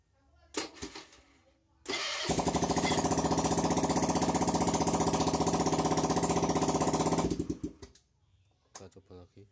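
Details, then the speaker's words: Carbureted Honda Beat scooter after starter repair (starter had failed): starter spins briefly, engine catches and runs an even, raspy rapid beat, loud because the exhaust/muffler is not yet fitted, then shuts off; normal electric start. "nah sudah saya untuk staternya mohon maaf itu karena kenalpotnya belum tak pasang jadi suaranya agak berisik seperti itu ya yang penting untuk masalah di bagian staternya udah beres ya"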